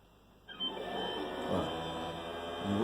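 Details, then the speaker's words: Kwadoo pool-cleaning robot diagnostic out of water: after the electromagnet clacks and a short quiet pause, the motor spins up into a steady whirring hum with no grinding; normal start, then it shuts off for safety. "on attend un petit peu pour que le moteur se lance"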